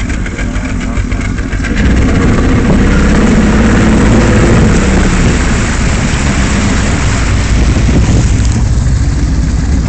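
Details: 1994/95 Mercury 75 outboard idling unevenly, its low thrumming beat stumbling instead of holding a steady rhythm: rough idle.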